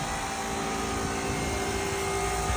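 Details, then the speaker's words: Empi EGAS 38/38 carbureted VW air-cooled small stroker engine, 500-casting heads, unloaded first run-in: slightly uneven hollow idle; a lost vacuum cap leaned out cylinders 3 and 4; lean running from vacuum leak. "Right here, I actually had to go lean a little bit on the 3 and 4 side because we lost the vacuum cap."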